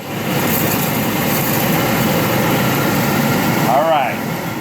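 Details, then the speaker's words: Multi Chef oven blower motor (fan) after repair, test-run on high speed; steady even rushing whoosh with no scraping, ticking or wobble, running normally. "and now let's test out motor which is called a fan actually yes now we're working we brought it back to life we'll put her on high"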